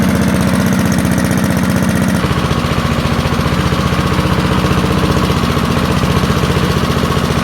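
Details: Early-1970s BF Goodrich push mower's small single-cylinder engine, a barn find that sat for years seized, revived after freeing up and fitting the carburetor diaphragm; settles into a steady, even putter at fast idle with no misses or knocks, running cleanly.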